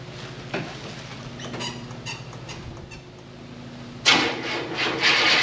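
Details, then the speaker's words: 1974 Buick Apollo with Buick 350 V8, performer intake, after sitting a long time: quiet clicks, then it catches at about four seconds with a loud, slightly uneven roar; slight misfire at start-up. "It's missing a little bit, but for as long as it's been sitting, pretty much started almost right up."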